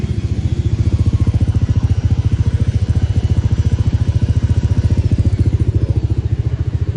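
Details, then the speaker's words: Honda Vario scooter with the odometer already rolled over, engine rebuilt a month earlier, after a customer complained of engine noise: an easy start, then an even, steady idle thump about 3.5 per second with no knock or rattle; the engine is normal. "Motor capek. Dihidupkan juga ringan, enggak susah. Nah, bisa didengarkan sendiri kan buat bagian suara mesin tuh"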